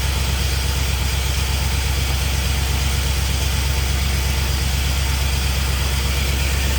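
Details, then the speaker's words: 1951 Chevy with LS swap at first start-up, running on only four cylinders because one bank's injectors aren't firing; the harness was later swapped side to side. Heavy, lumpy low thumping at about 167 beats a minute at idle. Misfire on one bank. "So, when you guys heard this thing are running, it was literally only running on four cylinders. And uh this whole side over here, the the injectors aren't firing right."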